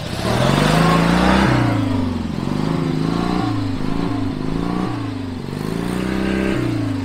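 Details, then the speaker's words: Forgotten free riding lawn mower revived after freeing a seized engine with vinegar, being built for off-road crawling: small single engine revs up and down as it drives off, running clean without misses; slow but fires right up every time. "it's not the fastest thing ever yeah it seems pretty slow but it does fire right up yeah brought it back to life fires right up every time"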